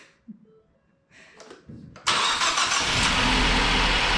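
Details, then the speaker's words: 2011-2017 MK3 Ford Focus, first start after Duratec engine replacement with fresh oil and coolant: short crank, catches at once and settles into a smooth, even idle with no knocks or misses; normal start. "Man, she purrs. She fired right up. That's awesome."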